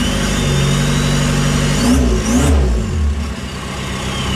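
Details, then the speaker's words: VW Jetta TDI diesel running on a new tune after the computer was reinstalled: holds a steady idle, then revs climb and fall back smoothly with no knock or miss; sounds healthy. "yeah that sounds better [Music] the headlights are out of this"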